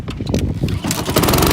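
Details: Honda HRX 217 mower, pull starting: several ragged sputtering pulls before it catches and runs rough and uneven; persistent hard starting, and the owner suspects the choke actuator.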